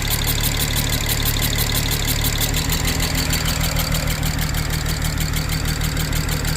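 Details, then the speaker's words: 2007 BMW 335xi twin-turbo inline-six after replacing Vanos solenoids with OEM: uneven loping idle with stumble about every second, shaking, less at higher rpm; running on five cylinders, owner suspects compression leak, unconfirmed. "Well, when the RPM comes up a little bit, it does it less, but it's still shaking. But I mean, it's running. Kind of probably running like a 5-cylinder BMW right now, which, you know."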